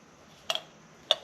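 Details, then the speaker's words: Yamaha YZ85 two-stroke dirt bike carburettor, cleaned and reassembled, shaken by hand: two light, crisp ticks as the float swings freely in its bowl, not sticking. The float moves freely. "But what you do when you've got it, make sure the float is moving. So you can hear it."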